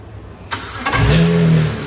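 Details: After a misfire was diagnosed to a faulty coil pack and a fresh coil pack fitted: it cranks briefly, catches cleanly at half a second and settles into a smooth, even rising note with no stumble or misfire.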